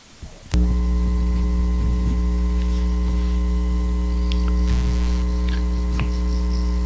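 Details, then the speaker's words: Bathroom exhaust fan motor after repair of buzzing, slow, no-airflow fault: steady even low hum, no buzz, scrape or rattle; motor spins freely and quietly, lubrication was all it took. "you can see turning very smoothly no noise looks like a little lubrication is all it took"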